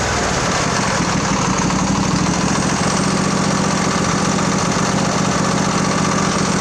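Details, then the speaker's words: Craftsman LT1000 20hp riding mower after carb repair, a working fuel solenoid and new plugs: a smooth, steady engine hum with even firing and no surging or knocking. Normal running. "so it runs aweso"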